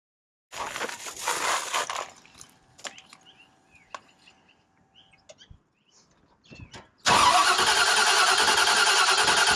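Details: 1968 Mustang Fastback with Holley Sniper EFI 2, just after installing new MSD 8202 ignition coil and coil wire: short crank, pause with a few clicks, then the V8 catches and settles to an even idle; normal start and idle.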